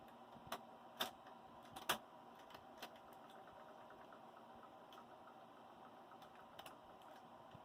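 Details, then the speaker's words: Bell & Howell 1585 16mm film projector, film loaded with little loop: faint irregular clicks and snaps over a whirring mechanism as the film fails to advance and seems to tear; cause suspected, not confirmed. "Is it doing something? It seems like it's not. It seems like it's just tearing up the film."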